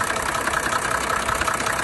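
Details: 1987 Mercedes 300D (OM603 diesel) at idle with a loud, fast, even tapping knock over the diesel clatter; owner unsure of cause, car still daily-driven two years later.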